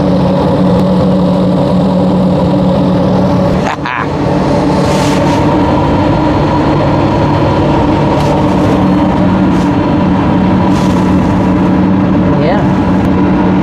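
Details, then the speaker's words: New Webasto Thermo Pro 90 diesel coolant heater replacing failed Eberspächer on a Demag AC220 crane, first firing with coolant flowing; steady roar with constant low hum, no misfires or pulsing, initial smoke just from the pipe, running normally. "Have flow. She's roaring away."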